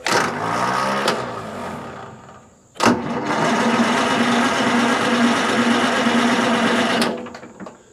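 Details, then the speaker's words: Detroit Diesel 4-71 sawmill engine, unstarted for twelve months, cranked off a jump-start pack: two long cranking bursts with a steady chug of about three beats a second, no firing yet, spinning over to build oil pressure. "it'll start up it's just trying to get some oil pump going let me crank it for another second"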